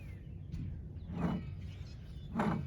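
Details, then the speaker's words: 1991 Buick LeSabre driver rear hub, drum removed, spun by hand: two gritty rushing whirs from a worn, rough hub bearing; should be silent; bearing being replaced. "Hear that? That's your hub bearing. Should not sound like that."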